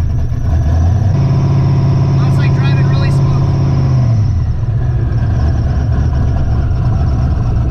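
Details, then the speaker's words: Twin-turbo Ford Ranger with 4L80 transmission on E85, first drive after tune fix: deep, steady drone with even pull, no misses, knocks or surging. Normal running while driving. "smooth all right i think we got all the user error figured out"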